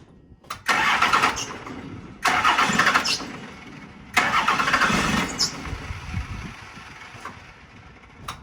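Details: 1990 Dodge Ram D250 with a 12v Cummins diesel, said to have zero blow-by: several strong bursts as it cranks and fires, then it settles into a steady, even idle. Normal start.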